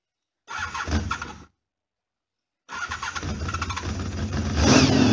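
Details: Honda VFR 750 RC24 V4, late-1980s, cold start after sitting overnight on manual choke: short burst, pause, then catches into a high even fast idle; runs very correctly.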